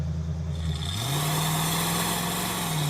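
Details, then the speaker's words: 1969 Mustang 302 V8, revived after sitting 27 years, after repairs with spark plugs looking perfect; deep V8 note climbs cleanly with strong, even pull, no stumble or pop, running much better. "this thing runs great now way better the spark plugs look perfect yeah"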